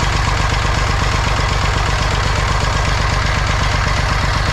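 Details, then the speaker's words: Massey Ferguson 35 tractor, Perkins A3.152 diesel, first start after head gasket replacement: even diesel clatter at idle, firing pulses steady around 160 a minute with no miss or knock; runs healthy, no leaks found so far. "oh hear it all right she runs as good as she looks"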